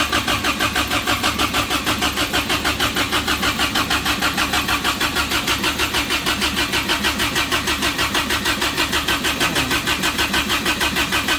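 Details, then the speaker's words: Suzuki Samurai rock crawler engine newly converted to propane: steady even cranking about one and a half turns a second, never catches; vacuum leak from a missing manifold port plug. "ere that I did not put in when I was putting all the fittings in so again no vacuum and yeah sometimes you just need to slow down uh and take your time yeah so that is the plug that goes in right here creating all of my problems"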